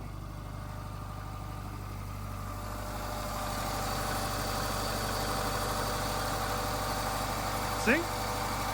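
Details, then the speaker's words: Subaru Impreza project car just started cold, idling with a light, uneven knock over a steady hum; owner calls it a little piston slap because it's cold, likely to fade as it warms, cause not confirmed. "I told you it's gonna be fine. Just a little bit of piston slap because it's cold."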